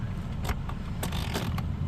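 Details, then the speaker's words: 2005 Toyota Corolla with mechanical blend door actuator, engine at temperature but heater blowing cold: light creaks and clicks over a steady low hum as the control is turned; blend door arm moves freely, normal. "Now I can see that arm moving. I can hear it, I can feel it, if I pull this cable off real quick."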